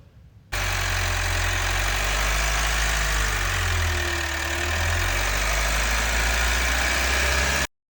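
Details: Foton Traveller van with Cummins diesel at 200,000 km, just after engine support mounts replaced: steady diesel idle with a firm low rumble and even clatter, no knocks or surging; normal idle.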